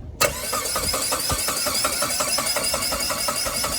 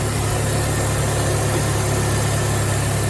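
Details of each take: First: Saab 9-3 that fires briefly with a rough, lumpy burst after cranking, then stalls; the spark plugs are found sitting in oil, and a spare DI cassette is to be tried next. Finding: brief start then stall. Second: Project Saab 9-3 just got running after adding fuel and various fixes: even, steady idle with a smooth low hum and no knocks, misses or rattles. The engine sounds healthy.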